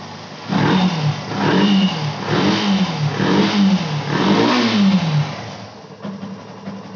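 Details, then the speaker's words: Yamaha FZ Fi BS6 after refitting hanging bank angle sensor that caused no-start and check light: engine catches and revs in about five clean blips, no stumble or misfire; normal start and running, check light off. "जैसे की आप देख का रहे होंगे गाड़ी हमारी start हो चुकी है और जो यह चेक इन डी लाइट थी यह भी ऑटोमेटिक बंद हो गई"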